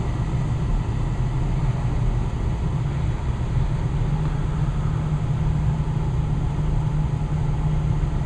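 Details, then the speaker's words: Westinghouse two-stage gas furnace with variable-speed blower, after the burner shuts off: a smooth, even fan rush with a low hum and no rubbing or rattle, slowing to low speed. Normal blower running at low speed. "now the furnace just turned off and now the fan is just running and the fence will eventually start to go in its slower sorry go into a slower speed you can hear it smooth running all right now the fan is slowing down"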